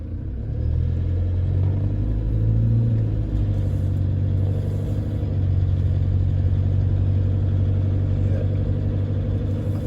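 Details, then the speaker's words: 2014 Toyota Hilux diesel, 47,000 km, driving cold around 1500 rpm: steady rumble with constant light rattle that goes away under load; owner suspects injectors, new ones expected to cure it, source unconfirmed; engine rattle. "think that's what we're talking about that 1500 revs there just that constant rattle new injectors will get rid of that"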